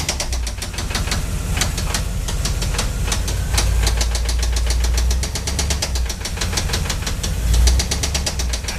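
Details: Chevrolet 350 small-block V8 at idle: steady rapid metallic knocking from the bottom end, suspected spun connecting rod bearing; began as a ticking when warm and worsened into knock. Not yet confirmed by teardown.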